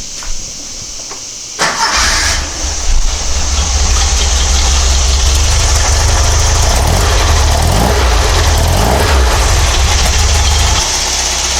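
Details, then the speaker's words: Porsche 912, Dellorto DRLA carburettors with update kit, idle jet cleaned, cold start after sitting a day, using the accelerator pump from outside the car: brief crank, then steady even idle with no misses; sounds much better than before. "it sounds a lot of different they did before I'm pretty happy with it"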